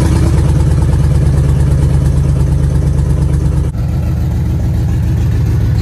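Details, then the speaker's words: 1966 Chevrolet C10 LS swap, before HP Tuners tuning: deep uneven lumpy V8 idle with occasional popping backfires, smells very rich; owner suspects it is dumping too much fuel, cause not confirmed. "it's doing some popping it'll just backfire every once in a while smells Super Rich"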